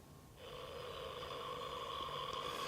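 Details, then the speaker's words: 1966 Philips Electronic Engineer EE08 kit two-transistor AM radio, newly built, tested outdoors with antenna, earth on garden tap and a small external amplifier: steady high whistle and screeching with lower hum from switch-on; unstable receiver. "Hear quite a lot of screeching at the moment. Let's do a bit of tuning. Well, there's a lot of hum as you might be able to hear and whistling."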